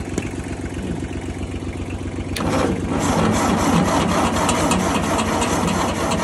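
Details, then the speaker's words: 1956 Ford 800 tractor bought at auction with new carburetor and clutch after sitting outside about a year: even starter chug, then louder uneven cranking without firing as the carburetor floods with gas; no start, flooded carburetor. "she is cranking a little faster but we still got the pop G come on baby come on oh no now that carburetor is full gas"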